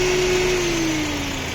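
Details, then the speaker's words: Warm Lada Granta idling after its coolant-tank boiling test, with the radiator cooling fan now on: steady, smooth idle under an even fan whoosh, no knocks or misses. Normal idle with cooling fan running. "Дивіться, а ось так в нас бачок веде. Дивіться, вентилятор включився."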